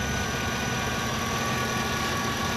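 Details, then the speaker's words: 2005 GMC Yukon, stock 5.3 LM7 V8 at about 239,000 miles, hood open: steady, even low rumble at idle with no knocks, misses or whine; all stock, runs great, healthy idle. "I mean, everything in here is stock. Everything. Runs great, runs like a champ, and that's really why I bought it."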